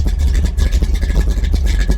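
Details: 1964 Chevy II gasser V8 after a year in storage, idling to warm up before the drive home: lumpy, even idle with a steady low rumble, no knocks or misses; gauge reading suspect. Normal healthy idle.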